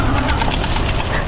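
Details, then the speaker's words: Magnum Nomad mid-step fat-tire e-bike landing a small jump off-road: quick, irregular metallic clacks over tyre noise as the chain slaps the kickstand. The rider believes it comes from the design, with the chain sitting very close to the kickstand. "you can really hear that chain you know making contact with the kickstand i'm not sure what to do about that i think that's just sort of the way it's set up just something you're going to hear because of this design you know the chain is so close to it"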